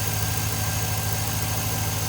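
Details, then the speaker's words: Cateye Chevy truck LS V8 at idle after the exhaust manifold leak was fixed (the cheap head-gasket-kit manifold gasket had lifted): steady even burble with no ticking or puffing, sounds healthy and sealed. "so anyways we got the exhaust speak on it I'm much happier now that I get tired to listen to it bleep"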